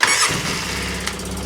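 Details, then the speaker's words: 2003 Polaris Sportsman 600 ATV, start after derusting and greasing parts: quick crank catches at once into a smooth steady idle with no grinding or starter clatter; normal start and idle, though a cracked exhaust Y-pipe was then found. "Sounded good right there. Shut her down. Sounds good."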